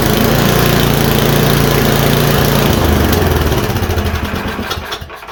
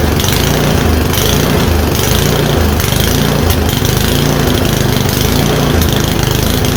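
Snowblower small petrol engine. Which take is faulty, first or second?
first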